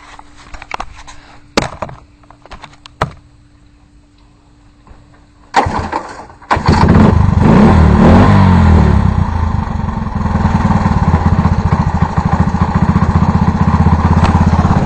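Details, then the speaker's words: Honda three-wheeler, completely cold, after a tune-up: fires after a couple of pulls and settles into a quick steady single-cylinder idle; normal cold start and idle. "Alright, well, here's the 3-wheeler starting. Completely cold."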